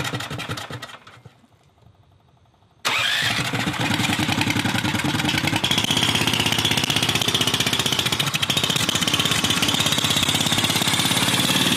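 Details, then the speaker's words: Predator 420cc single-cylinder turbo drift trike, after a hall ignition pickup adjustment for high RPM, runs with an uneven, stumbling beat at low revs and won't settle to a clean idle; owner guesses relearning after the battery was disconnected. "it doesn't sound great in the lower now yeah well the battery was disconnected relearning I guess"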